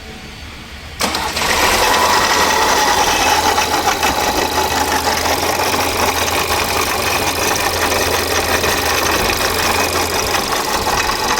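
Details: VW Polo engine catches and settles into a busy idle with a rattly ticking layered over it; abnormal engine noise, source still unclear.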